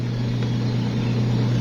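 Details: Manual washing machine after timer and gearbox checks. The wash motor gives a strong, steady low hum with no knocks, grinding or labouring, running normally.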